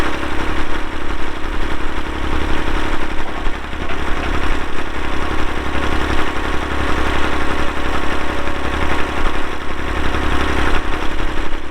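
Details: 1990 Massey Ferguson 231 tractor, 2WD, MF232 loader, Perkins diesel, 2,898 hours, started on a cold day. Even, rapid diesel clatter at steady idle with no miss or knock. Normal diesel idle.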